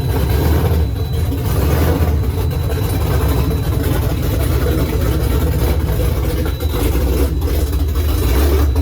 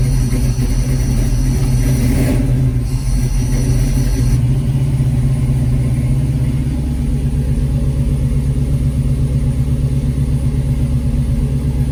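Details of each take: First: Freshly swapped Gen 3 5.7 Hemi in 1970 Challenger, Holley Terminator X ECU, long-tube headers, dual Flowmaster mufflers, first start: loud lumpy surging V8 idle; owner unsure if rough running (idle screw unadjusted, sensor unplugged) or cam sound. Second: 1970 Challenger with swapped 5.7 Gen 3 Hemi, Holley Terminator X ECU, long-tube headers and dual Flowmaster mufflers, first start-up: deep, steady V8 burble idling on its own with good oil pressure, no misses or knocks; healthy.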